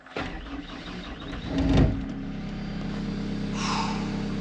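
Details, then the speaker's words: Caterpillar 299 compact track loader diesel after fuel pump replacement, air in lines: short crank catches within a couple of seconds, settles into steady, even idle with no misses; healthy start, voltage recovering toward 14.4. "Beautiful. Running great."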